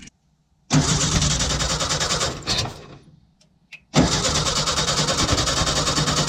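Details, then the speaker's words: 1966 VW Westfalia split-window bus sat over 30 years, after chasing no-spark (distributor swapped, coil checked, static timing): two bursts of fast, uneven cranking with occasional pops, fuel smell; spark present, not yet running. "you heard that is an awesome sign and I can smell fuel being burned"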